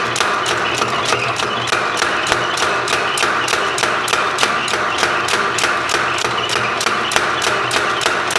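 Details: Sharp, evenly spaced blows at about three per second from a rebuilt 30 lb Kerrihard power hammer, steady with no slipping or skipped strokes after belt and pulley work; the hammer is working properly.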